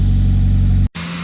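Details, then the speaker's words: Volvo 940 after camshaft and valve spring upgrade, first start after reassembly: steady, even low hum with no misses or knocks before a sudden cut; initially ran on three cylinders, now all four firing, smooth idle. "wow okay we're running on three but sounds like we're on four now"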